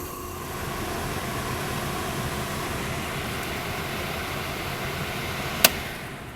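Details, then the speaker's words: HVAC blower, belt just fitted, switched on with a jumper from G to R at the unit instead of the thermostat. An even, steady rush of air with no squeal, thump or wobble and one brief click; the blower runs smoothly. "So it does appear to be running pretty smoothly."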